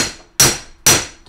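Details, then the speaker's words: Boat/utility trailer hub, new bearing race driven in with hammer: two blows give a bright ringing clang instead of a dull thud, showing the race has bottomed out and is fully seated. "that's when you know it's seated it's beautiful"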